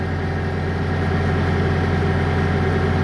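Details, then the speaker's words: Bobcat skid steer loader diesel idling after the repair, checked after 1–2 minutes: steady, even low rumble with no knocks, misses or squeals, and no error codes. It no longer cuts out. Normal idle. "I think is now no not Cod is coming now machine is okay"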